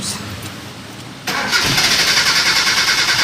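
A brief crank, then the engine catches and runs at a smooth, even idle with a steady beat; it starts and idles fine.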